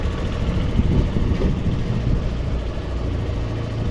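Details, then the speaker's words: TVS BS6 scooter after injector replacement (old injector damaged, linked to the battery) with the coupler cleaned and tightened: small single-cylinder engine at a steady low putter idle, no misfire or stumble; normal idle. "Friends അപ്പൊ ഇത് ശരിയായിട്ടുണ്ട് നമ്മൾ injector മാറ്റിയതാണ്"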